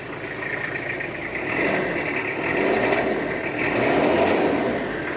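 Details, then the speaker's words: 1989 Toyota Hilux Surf (4Runner), 2L-TE turbo diesel, 5-speed manual, 4WD, 106,000 km, just started; steady diesel clatter swells smoothly through light revs and settles back with no knocks; healthy idle. "Sounds great, runs great. These are good engines for the US roads and highways."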